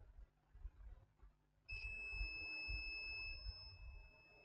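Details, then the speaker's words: HP ProBook 645 G1 laptop motherboard, no power: steady continuity beep, zero ohms across capacitors on the main 19 V rail, a dead short. "zero ohms the other side of the capacitor zero ohms so yeah this is a very strong shot"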